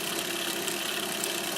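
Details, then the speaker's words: Monroe LA-5 motorized mechanical calculator powered up for the first time in decades: a steady high-pitched whir with faint crackly sparking, probably the governor, speeding up slightly. Normal motor run, though possibly dragging on something. "I hear the sparking of probably the governor, which is kind of typical. Seems like it's speeding up a bit there."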